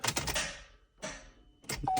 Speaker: all right so I just want to record a quick video what the car sounds like when I try to start it up set lights all come on it's not the battery I tried jumping that didn't work